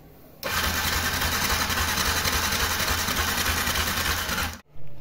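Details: Yamaha YZF R15 fuel-injected motorcycle that won't restart: fast steady starter churn for about four seconds, never catches, then stops, with injection pulses and spark confirmed good; no-start.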